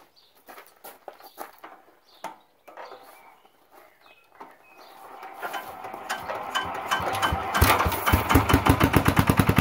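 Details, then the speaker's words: 1980s Lister Petter AC1 single-cylinder diesel generator, 4 kVA at 3000 rpm, previously wouldn't start (leaky tank, suspected air in fuel): squeaky cranking, then it catches and settles into a quick, steady diesel beat as revs rise; healthy start. "when it does start you won't be able to hear anything other than the engine because it's pretty loud but it should go through a sort of self-stabilization test where the revs fluctuate up and down and then it will stabilize"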